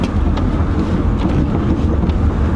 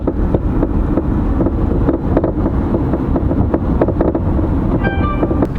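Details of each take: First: 2008 Chevy Malibu test drive after replacing both front complete shocks for bad top hats: low, steady road rumble over bumps with no knocks or clunks, where the front suspension previously knocked badly. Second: 2008 Chevy Malibu driving over bumps: sharp repeated clunks from front suspension, mainly left front; worn, destroyed strut mount (top hat) rubber letting strut knock; fixed by replacing both front complete shock assemblies.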